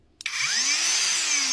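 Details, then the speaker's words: Grinder after repair, fault traced to power switch and wires resoldered: motor spins up smoothly to a steady high-pitched whine; runs normally. "ça fonctionne donc c'était juste C [ __ ] de d'interrupteur"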